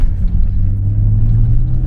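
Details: Nissan Skyline R32 fitted with a budget Maxpeedingrods turbo and R35 GTR coilpacks, at full load on a closed road: deep, steady drone pulling hard, smooth with no rattles or misfires. It runs well, though the mixture is slightly rich: normal running under load.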